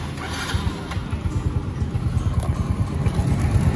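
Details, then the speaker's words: Yamaha Mio Nouvo scooter, restored, after the one-way starter clutch was fixed, riding under load: a low, steady engine drone with even pulses and no rattle from the starter side; it runs normally and stays stable. "ada suara bunyi yang suaranya masih stabil"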